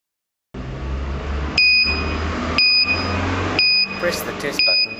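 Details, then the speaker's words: Boss garage door/gate operator marker test: jumper on auto-close prog pins with battery power applied gives a steady high electronic buzz repeating about once a second; test-mode buzzer working normally. "To test these markers are operational, firstly, place a jumper over the auto-close prog pins and apply battery power. The buzzer will sound like this."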